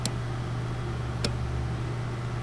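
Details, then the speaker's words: 2013 Porsche Cayenne S 4.8L, no crank no start, extra microphone beside the starter relay while cranking: sharp single clicks about every 1.2 seconds over a low hum, no cranking; relay commanded and apparently good, clicking stops when relay removed. "Again, I can hear the clicking. Let me see if when I take off this relay, it stops clicking."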